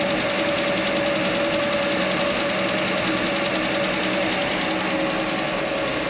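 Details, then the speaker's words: Chevy Nova straight-six at steady idle after exhaust manifold donut replacement failed to fix the noise: quick light ticking about three per second; owner suspects a lifter tick, actually a loose rocker arm in the valve train. "There's still a tick there. It could be a lifter tick now. It could have been that the whole time."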